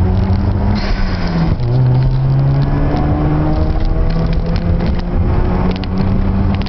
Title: Misfiring on a RX-7 FD3S